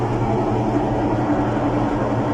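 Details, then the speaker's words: Washing machine, loud steady low roar with droning hum during spin, "like it's about to take off"; also pauses and doesn't wash. Diagnosis: worn tub bearings, seal/retainer; rusted parts show water leaking there, wetting the sensor board. "El problema de esta lavadora son los valeros, sello, tina o retén. Hay que cambiarlo, hay que reparar esa transmisión."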